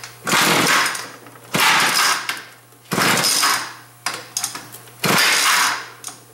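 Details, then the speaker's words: Schwinn Stingray motorized bicycle two-stroke, carburetor just cleaned, cold start: repeated pull attempts each giving a brief rough burst of popping that dies; won't run, carburetor adjustment needed. "come on girl fire off now hopefully enough gas in there so sounds like it needs a little bit of a carburetor adjustment there"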